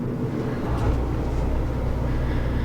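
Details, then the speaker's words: Houghton RecPro low-profile rooftop A/C with heat pump, replacing a loud GE unit on a Little Guy Mini Max trailer, running in heat mode, about 50°F garage, heard from inside. Steady low hum with a soft, even fan rush, no rattles or cycling: quiet, normal. "now this is in heat mode like i said this one has a heat pump in it so it's probably about 50 degrees in the garage right now but this is the ac is probably going to be about this loud"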